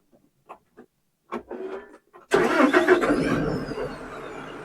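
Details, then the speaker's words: LS tractor diesel with recently replaced battery reading 11.2 V, dropping to 9.3 V while starting: a few quiet clicks, then it catches and settles into rough idle; slow cranking, low battery suspected, charging at 13.3 V and still climbing. "All right, during the starting process, it dropped down to 9.3, and then it cranked up."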